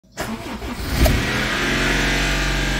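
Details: Car engine started cold runs loud and coarse with a rough rattly clatter from the top end, while the oil indicator goes out; harsh top-end noise, cause suspected, and compression testing is suggested before any teardown.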